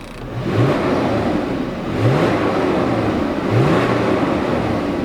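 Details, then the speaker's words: VW Passat V6 4Motion, just bought and driven home: three clean blips from idle, revs rise and fall smoothly, exhaust nearly silent through mufflers, no miss; normal revving, healthy engine. "i gotta say they did a great job on the mufflers on this car because there's virtually no sound from this exhaust"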